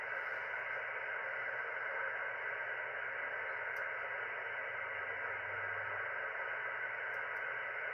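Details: Ham radio receiver audio via SDR software: steady hiss and buzzing static across the band with no signals; heavy QRM, likely local electrical interference from unknown source, possibly someone else's equipment.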